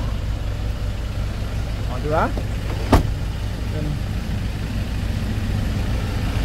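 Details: 2013 Ford Everest diesel, revved to around 3,000 rpm: a steady, even rumble with no knocks, rattles or misses; the engine runs smoothly.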